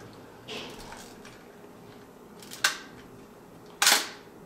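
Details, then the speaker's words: Mamiya M645 1000s film camera bought for parts, slow-speed shutter test (four seconds timed right) before trying 1/30 s: a sharp mechanical click, then a crisp snap about a second later. Normal shutter firing. "that was four seconds the timing seems to be right let's try one thirtieth of a second"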